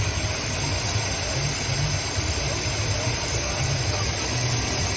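Petrol car engine idling smoothly with a steady low hum and no knocks or whines.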